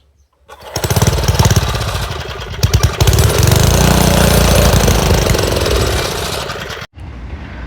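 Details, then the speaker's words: Montgomery Ward single-cylinder rototiller that won't start properly chugs unevenly, surging and sagging before cutting out abruptly; owner suspects a carburetor or fuel issue, possibly water in the gas. "Um, seems like we're having a carburetor or fuel issue."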